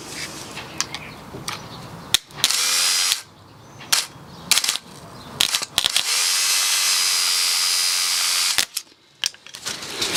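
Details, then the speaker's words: 2013 BMW F31 318d diesel starter jumped with 12 V: short bursts of high free-spinning whir with no engagement clunk. The pinion gear spins but never pops out, pointing to the solenoid as the cause of the slow or no cranking. "so starter motor gear just spins where it is it's a suppos to pop out and then spin so the fact that it isn't popping out when we are supplying 12 volts to it this has got to be the issue why it's cranking or cranking so slow"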